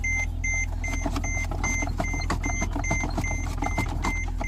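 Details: Mercedes-Benz E-Class with brake system failure: short high beeps about two and a half a second over a steady idle; brakes hard when pumped, car won't go into gear, warning chime sounding.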